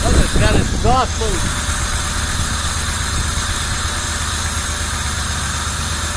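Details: 1990 Camaro RS after 12–13 years sitting, new fuel pump, plug wires corrected to firing order, timing not yet set: a few rising chirps, then low fairly even idle, no knocking; normal idle.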